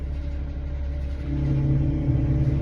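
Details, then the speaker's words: Mercedes Sprinter 3.0 V6 RV after power steering pump replacement, idling while warming up: steady low hum rising into constant droning whine; steering now turns easily but pump still noisy. "But it's still making noise right now."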